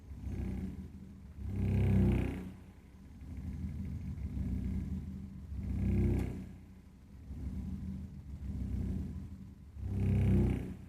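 Deep low rumble swells and fades roughly every four seconds while the boiler fires, a pulsing combustion rumble of unknown cause.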